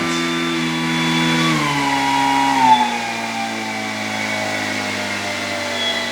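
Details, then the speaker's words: E-flite Commander mPd 1.4m RC plane after crash repairs, spinner visibly wobbling: clean, even propeller hum through the full throttle range, dropping smoothly in pitch with no resonance, buzz or vibration; motor and prop sound fine. "look at the spinner see the wobble but listen to how perfect that sounds as much as I don't like the fact that there's a wobble on there it sounds perfect and it's not vibrating"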